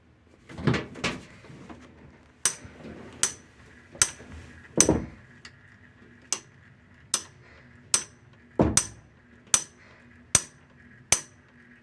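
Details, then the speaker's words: Whirlpool/Maytag/Kenmore-type washing machine making sharp, regular metallic clicks about every 0.8 seconds, steady and repeating; broken shift actuator, to be replaced along with the splutch cam kit. "Washing machine messed up. This is the sound that you get."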